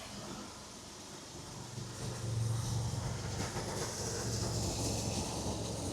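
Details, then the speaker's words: 1970 Jaguar XJ6 six-cylinder with SU carburettors just redone after MOT failure, idling about 900 rpm, choke was a bit tight, worn springs, owner hopes it is not the needles; steady even low rumble, no misfire; normal idle. "You can see it's idling sort of 900 RPM. The choke was a bit tight on it."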